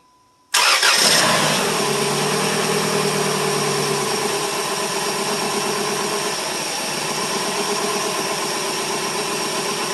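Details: Cheap Dodge Stratus after belt failure, belt and water pump replaced, differential compression tested but engine health uncertain: starter cranks briefly, engine catches quickly and settles to a steady even idle with no knocks or misses.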